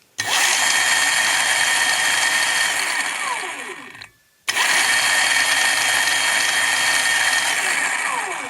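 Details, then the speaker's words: Kawasaki KLR-650 being converted with a 750 W electric motor, wires swapped to run it in reverse: steady high whirring motor run with a busy rattly edge, a stop, then the same again; louder and rattlier in reverse, speed unclear. "it's more rattly going that way I'm not sure if it's faster it's louder"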